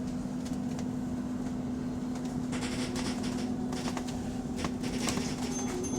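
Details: Electric bus on route 132, heard from the cabin while rolling with the accelerator released; the noise is absent when stopped. A steady mid-pitched drone or whine of unknown origin while coasting.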